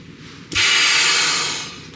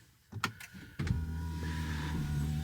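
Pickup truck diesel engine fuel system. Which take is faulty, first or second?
second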